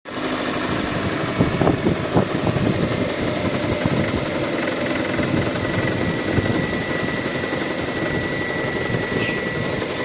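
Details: 2013 Kia Sorento, petrol, idling: scattered sharp knocks over a rough hum; engine knock, cause not identified.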